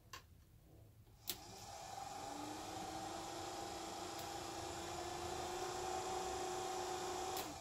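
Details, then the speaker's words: VW Squareback fresh air box blower, reassembled with new flaps and weather stripping: steady electric whir holding even pitch after spin-up, no scraping or rattle; fan motor runs normally. "think that's just the motor working yeah I'm gonna chalk that up to the motor just making noises whirring around cool"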